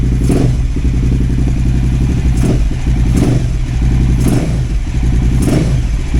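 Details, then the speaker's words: KTM 950 Adventure S V-twin after new air intake, rejetting and throttle position sensor reset to 0.55 V: loud steady lope around 1,250 rpm with occasional handling clacks; idle even, not fluffy. "That idle says nice. Around 1,250 RPM. And it's not fluffy."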